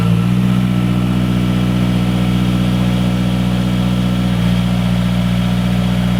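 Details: 2012 Mazdaspeed3 turbo engine just after installing a silicone turbo inlet hose, not yet driven; deep, steady idle with an even beat and a short rev blip, lower tone, more intake sound; healthy idle.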